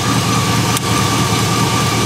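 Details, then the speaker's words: GM LS-based V8 truck at idle with one spark plug wire pulled to force a misfire: uneven, lumpy beat from one dead cylinder, check engine light not coming on. "all right so we're having an issue the check engine lights not turning on for some reason you can clearly hear it's misfiring"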